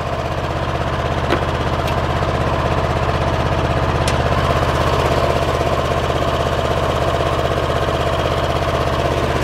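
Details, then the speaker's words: Kohler 7000 series 24 hp twin running on one cylinder: lumpy uneven idle with a regular knock near three per second and occasional pops; one cylinder dead, bogs in tall grass, ignition coil damaged by mice. "I'll start it up I'll show you what it looks like you can hear an occasional popping noise"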